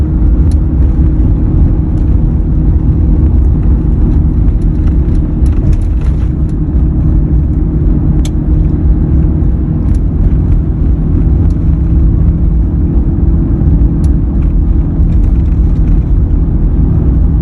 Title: Humming noise is present on this 2003 F 150